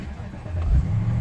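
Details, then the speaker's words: BMW 650i that previously would conk out on restart and had no-start issues with dash warnings: a brief crank catches and settles into a steady low rumble without stalling. The engine restarts cleanly. "all right everything seems to be okay I'm shut it off again started again now I wouldn't do this before it would it will conk out"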